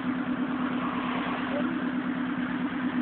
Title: Jdm B16 burly exhaust leak